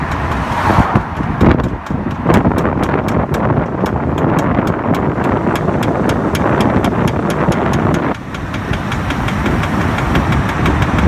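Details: BMW E60 automatic: sharp, even knocking over road noise that speeds up with the car, present in D at all speeds and gone in N, with body vibration; flex disc and centre support already replaced; fixed by replacing the driver-side rear output shaft (worn outer CV joint).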